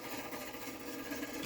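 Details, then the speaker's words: Rare Spanish Playmatic Harem pinball at first power-on while trying to add a credit. A fast mechanical whirring chatter keeps cycling and grows faster or louder without adding credit. The credit unit is suspected. "sounds like it's like whatever is happening it's getting faster and faster or louder and louder so i think we'll turn that off"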